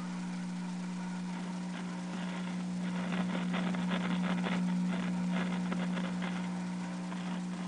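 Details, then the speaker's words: GE 17T11 tube black-and-white TV powered through a 40-watt bulb at about 90 volts: steady 60 Hz hum getting louder, no horizontal line whine, no picture; owner suspects no high voltage generated. "I don't hear the horizontal frequency so we're going to put the 40-watt bulb in which is now taking us up to about 90 volts and the 60 Hertz is getting louder"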